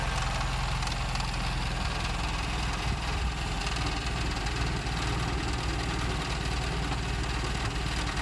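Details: 1956 Triumph TR3 engine at steady low idle with a dull repetitive knock under the exhaust beat; engine knock, cause not yet identified.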